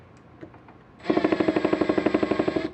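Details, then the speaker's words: Makita DHP481Z (XPH07) combi drill, new unit: hammer action stays engaged in drill and driver modes, rapid even hammering about ten blows a second under pressure with motor whine; mode collar makes no difference, likely factory defect, unit swapped. "so if i put it in i just put pressure on it you can heat a hammer there I switch modes it doesn't stop"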